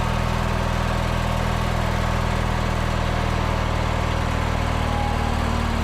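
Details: Small petrol engine with hard-start problem fixed, air cleaner refitted, started on choke: settles into a steady, even idle with a low hum and no misses or knocks; normal idle.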